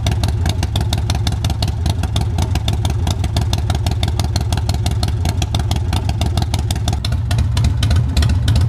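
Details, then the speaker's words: Older Harley Softail with a rebuilt motor (displacement and cams unknown), choked despite being fairly warm: loose, even potato-potato big-twin idle with steady firing and no misses or mechanical rattle. A healthy runner. "Alright, she's a runner."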